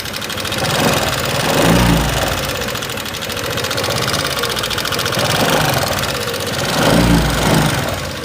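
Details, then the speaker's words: 2018 Honda Vario 125 scooter idling with fast light metallic ticking from loose (excessive) valve clearance. "karena apa setelan klep yang kendor kerjanya seperti ini dan apabila dia kendor menyebabkan motor menjadi suaranya gelitik klitik-klitik-klitik-klitik gitu ya teman-teman"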